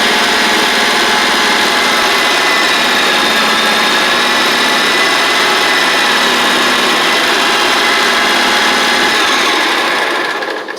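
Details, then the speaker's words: John Deere 345 lawn tractor, liquid-cooled Kawasaki, with spark and vapor lock issues, after running a valve cover pulse line to the fuel pump: runs smooth and steady at speed with even firing, best since arrival, then winds down. "And I tell you what, it's running better than it has since it's come in."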